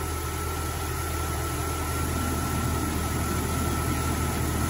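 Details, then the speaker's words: 1999 Jeep Cherokee 4.0 straight-six, baseline idle before 4-hole fuel injector upgrade: low, even, smooth idle hum with steady beat, no misses or ticks, no issues. "okay as you can see it's pretty smooth idle right now"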